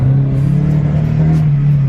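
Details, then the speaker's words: 1986 Mercedes 190E Cosworth under roughly half throttle or more: deep droning engine note that wavers and sputters, bogging instead of building cleanly; fine at quarter throttle shifting near 3,500 rpm. Ignition system later replaced. Cause not confirmed. "You can hear the sputtering real bad there, real bad sputtering."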